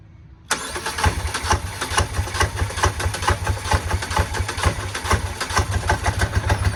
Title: Hard starting/idle video #2